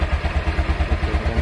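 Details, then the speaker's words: Used motorcycle inspection before buying, engine check: even, steady thumping about eight beats a second, smooth with no knocking or rattles; normal idle. "suara mesin suara mesinnya halus seperti ini tidak ada suara benturan-benturan"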